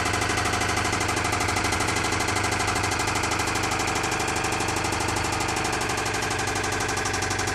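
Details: 2008 Toyota Camry engine idling with a hard, regular knock about three per second from inside the engine; engine knocking at idle, cause unknown.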